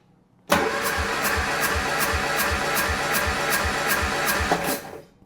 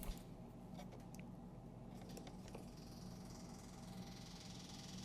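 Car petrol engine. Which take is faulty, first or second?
first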